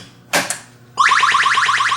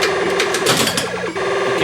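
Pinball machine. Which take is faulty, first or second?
first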